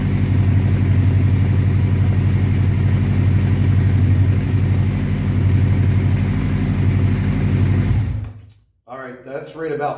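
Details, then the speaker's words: 1984 Honda CB700SC Nighthawk four-cylinder after carb cleaning, fast idle about 1400 rpm, slightly high, held for warm-up to clear fouled spark plugs; steady even burble, then cuts off near end; healthy fast idle. "that's a little bit 1400 RPMs that's a little bit high but I'm just going to run it like that for a little while guys let it warm up"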